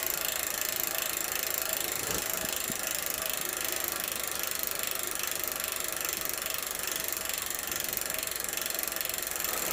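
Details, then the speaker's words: Giant Boulder SE bicycle, old seven-speed freewheel just lubricated after drying out with grit: fast, even, crisp ticking while coasting, no grinding or skipping; freewheel sounds normal despite a slight wheel wobble. "let's get you a shot of that just a little bit of a wobble we could work that out in the chewing stand pretty easily I think you can hear it that Freewheel sounds great"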